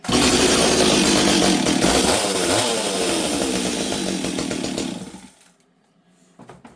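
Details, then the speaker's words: Stihl 026 chainsaw that previously leaned out in a cut, fuel line cleared and new NGK spark plug fitted, before final tuning: strong steady high buzz at full throttle five seconds, clean four-stroking, then drops; normal high-speed running. "it four strokes beautifully on the top end now so that problem seems to be gone"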